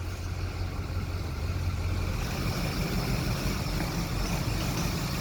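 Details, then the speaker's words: Ford 6.0 diesel, freshly started with turbo pipes off so exhaust blows open; injection control pressure about 50 at the regulator (minimum 45) and good fuel pressure; low uneven chugging with an irregular beat, rough running and audibly missing. "you can hear that it's missing obviously we're just don't have the turbo pipes on so we're just blowing it out there"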